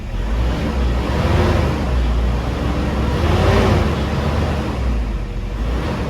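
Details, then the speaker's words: 2010 Toyota Innova 2KD diesel before repair, check engine light on with P0093, revved with no load: a flat, steady rumble stuck at about 1200 rpm that won't pick up; injectors suspected of sticking and leaking. "ini ngempos digas tidak mau karena lampu engine aktif. digas enggak mau. Kosong nih kosong hanya di 1200."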